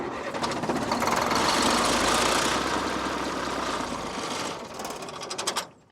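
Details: Military truck: the starter churns at about four beats a second for several seconds, the engine never catches, then it winds down; cranks but won't start.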